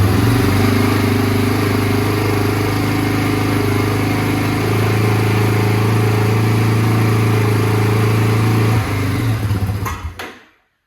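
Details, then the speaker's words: 2001 Yamaha Warrior 350 single-cylinder, cold start at 8 degrees after sitting, tank drained and refilled with 93 fuel: it fires and idles on choke, then dies once the choke is turned off. A stuck float needle was found. "Okay, so that was with the choke on. Did fire right up and run. I kicked the choke off and it stopped."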